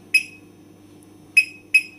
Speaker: now the the final every time you have disabled the final tab sounds like beeping like this okay now for example this one that's why i have sounds because of the disabled